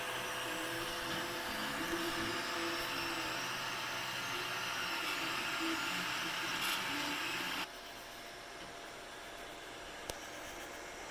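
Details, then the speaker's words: Anycubic i3 Mega 3D printer on stock drivers before silent mod: loud, shifting musical stepper-motor whine the whole time it prints, over steady fan hiss. "it's super loud so you can just hear the stepper motors whining the whole time it prints"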